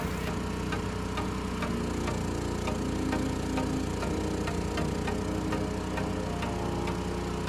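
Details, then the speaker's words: Mini excavator engine converted to tri-fuel with a motor snorkel, running on propane at initial startup: steady low hum with a soft, even tick about once a second; idles smoothly. "So far, initial startup seems great."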